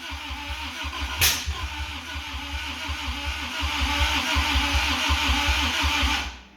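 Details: 1985 Toyota MR2, 4A-GE 16v, sat for a long time, started via a jumper wire: steady starter churning at about three beats a second with a brief catch that never takes over. Cranks but won't start; owner suspects timing is out.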